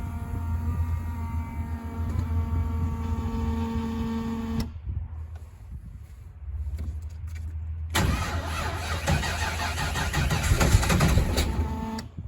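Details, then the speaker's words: Factory Five MK3 Cobra replica, 302 Ford with GT40P heads, Holley Sniper EFI and ignition, cold start at 38°F after 7-8 weeks winter storage: electric fuel pump whirs about two seconds, then cranks into rough, loud cold idle; healthy start. "the first sound you're going to hear is going to be the electronic fuel pump so you'll hear that first we'll let that run for about two seconds and then we'll fire it up"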